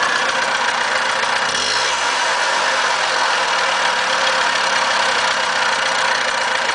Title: za50 bad bearing? (running)